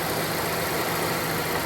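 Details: Mazda Demio (Mazda2) after maintenance and a belt tensioner fix that cured its rattle: short steady, even, smooth idle with no rattle or tapping, tensioner quiet; normal idle.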